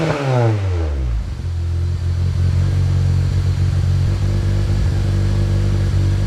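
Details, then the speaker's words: Honda CR-V RD1 with K-swap, first start on a new custom mild-steel exhaust (3-inch downpipe, 2.5-inch back, resonator, twin-loop muffler), against a concrete wall: loud, deep booming idle; excessive exhaust noise, owner suspects an exhaust leak. "holy i might have an exhaust leak that shouldn't be that loud"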